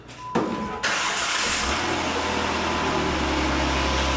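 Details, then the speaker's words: First-generation two-door Jeep Wrangler JK Rubicon that sat in a field 3–4 years: a short crank, then it catches and runs strong and even with no misses; a normal start. "good stuff jeeps running wheels spinning"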